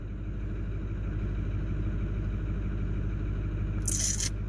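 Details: Ford 6.4 Power Stroke V8 diesel after replacing injector #3: uneven, lumpy idle, about three irregular pulses a second over a low rumble. Still adding 19 points of fuel to #3 with no injector faults; problem unresolved.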